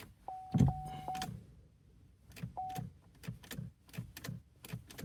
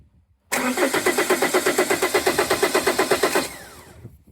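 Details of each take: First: 2012 Vauxhall Astra 2.0 CDTi diesel, no crank with P0615: key turned, only sharp relay clicks from the glove box area and a chime, no starter crank. Ignition switch assumed okay. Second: 2012 Vauxhall Astra 2.0 CDTi diesel, starter relay pins 30 and 87 bridged with back probes: an even, quick crank of about eight beats a second for three seconds that stops without firing. The starter turns the engine fine.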